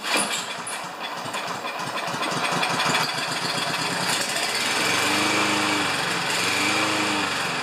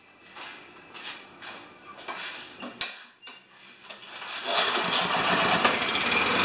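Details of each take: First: Self-propelled Lawn-Boy mower with Kohler engine, before repair, choke closed, kept running with fuel squirted in: rattles and revs unevenly, speed wandering; owner unsure if bad choke or dirty carburetor. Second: Self-propelled Lawn-Boy mower with Kohler engine, after carburetor cleaning, oil change, clean plug and new air filter: a few pulls and sputters, then catches and settles into steady even drone; runs normally after repair.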